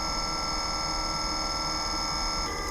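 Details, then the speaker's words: EcoFlow WAVE 3 portable air conditioner in a kei car, cooling at lowest 16°C setpoint on weak airflow, 26.4°C outside; a thin high-pitched mechanical whine rides over the fan hiss, 63 dB versus 46 dB before cooling began. "Vừa nãy nó vẫn yên tĩnh, nhưng bây giờ tôi có thể nghe thấy tiếng động cơ học the thé."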